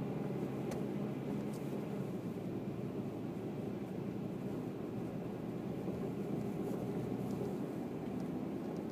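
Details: 2008 Toyota Tacoma just after a cold start: steady low engine drone with a faint rapping underneath, heard only when cold outside; owner unsure of the cause and suspects piston slap.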